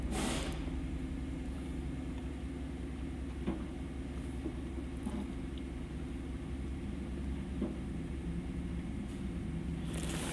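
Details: 2011 Chevy Avalanche, 168,556 miles, P0521/P0523 oil pressure codes: steady, even low rumble with no knocks or misses at idle after a rev; oil pressure now about 25–40 psi versus about 15 psi earlier, engine sounds healthy.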